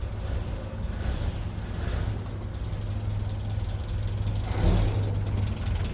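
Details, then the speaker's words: 1985 Toyota pickup 22R four-cylinder, sat over 10 years, idling after exhaust manifold resealed with new gaskets: steady low rumble, no puffing or ticking, much quieter from the front end; manifold no longer appears to leak. "yeah it is so much quieter from the front end now now they have everything buttoned up and gaskets new gaskets in there I don't think it's leaking anymore from the manifold or anywhere actually"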